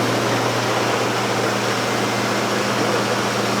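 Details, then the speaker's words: 1969 Plymouth Barracuda V8, revived after sitting 27 years, idling about 1200 rpm during new-cam break-in, about 7 minutes in, good oil pressure: steady, even idle with only a faint light rattle after a loose plug wire was refitted; pretty normal. "Still got a little tiny rattle to it, but that that's much better than what we were. I'd say that's pretty normal."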